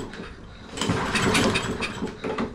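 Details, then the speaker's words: Toro 22-inch Recycler mower with a Kohler XTX675 engine, clean oil, choke closed. Several recoil pulls turn it over without firing. It catches only after fuel is sprayed past the choke, pointing to a fuel problem, likely old fuel in the carburetor. "we know it's getting fire because it cranked we know it's getting compression because it cranked we give it Fuel and it cranked"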